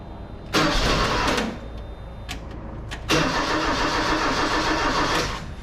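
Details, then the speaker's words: 1980 Ford Courier barn-find truck after new battery cables, spark plug wires and fuel pressure regulator, first start after sitting: short crank, pause, second crank catches at once into a steady idle; normal start. "Okay, so it fired right up. So seemingly should be good."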